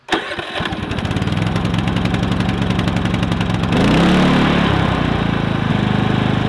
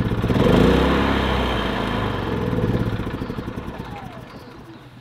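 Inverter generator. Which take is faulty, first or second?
second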